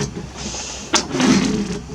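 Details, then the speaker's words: 1982 Triumph TR7 V8 4.6-litre convertible wipers: motor whirs through a slow sweep with a sharp knock at end of travel; blade catching and overrunning the screen edge, wrong blade lengths fitted, needs adjustment. "They're really noisy. And I think this one, you can hear that is catching. It's going over too far down there."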